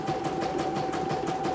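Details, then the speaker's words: CNY embroidery machine test-run after repairing a total jam. Quick, even needle chatter with a steady hum and no snags or knocks; runs smoothly with no problems and is ready to ship. "Oke, tidak ada kendala ya. Saya nyatain ini. Oke. Sudah halus, tidak ada kendala."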